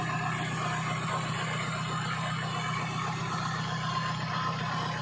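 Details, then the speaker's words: Toyota Big Body engine running with airbox removed, after thermostat replacement and starter relay wiring; steady even hum with constant low drone, no knocking or squeal, checking battery/alternator charging voltage: normal running. "Okay, guys, yan, tinandar ko siya na wala mo ng airbox."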